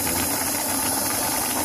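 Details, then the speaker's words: Electric fuel pump testing a venturi jet pump: dense steady hiss with faint rattle as it sucks the bucket dry and runs on air, shut off before burning out. "you can actually hear the pump making weird noise I'm going to shut it out before it burns out"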